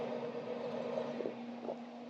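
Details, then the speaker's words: Pellet grill combined from Pit Boss and Monument parts, running after a zip-tie fix, igniter heating up: low steady hum with soft constant tone and light rustle, no rubbing. Normal fan running. "we hear the fans going is our igniter our hot end heating up"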